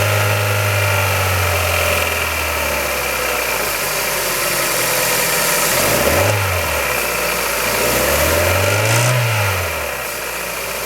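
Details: Kia Ceed 1.6L G4FC engine, cold start: the engine idles with a persistent light rattle, about three per second, that stays through two short throttle blips.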